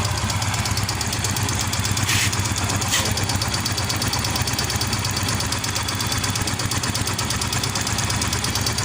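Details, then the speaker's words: Yamaha Mio M3 scooter idling: soft light tick (ngelitik) over the engine beat, source checked among head, cam chain and piston. "Oke teman-teman untuk suaranya e tidak begitu ekstrem dan tidak terlalu kedengaran namun mudah-mudahan di kamera terdengar suara ngelitiknya"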